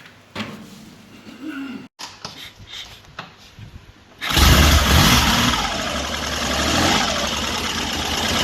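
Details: 1974 Triumph Trident triple after tightening a loose carburetor banjo fitting and tickling carbs; a few quiet clicks, then catches at once and settles into a steady, even run with no stumbling: healthy running.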